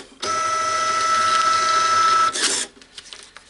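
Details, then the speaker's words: Repaired Epson TM-L90 label printer (jammed paper lid fixed) running a self-test print started by holding the feed button at power-on: even two-second feed whir, then a crisp cutter snap. Printing and cutting normally. "can see that's making the right cutter noises, everything seems to be working, but we'll do 10 or 20 of these just to test that it's all working."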